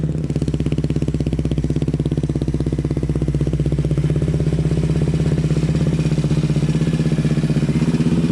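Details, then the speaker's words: Yamaha Raptor 700 quad on a dyno after custom tune, with new Rossier exhaust and Fuel Customs intake, louder than before; strong, even single-cylinder bark held at high revs, crisp regular firing, no misses or knocks. Healthy running at high rpm. "It sounds awesome. Like, it sounds like it's running really good."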